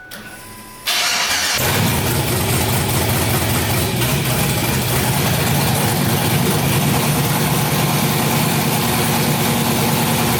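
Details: LS-swap engine with VATS turned off after rewriting the same computer and tune: quiet, then the starter catches and the engine fires straight into a steady, even idle without stumbling; healthy start.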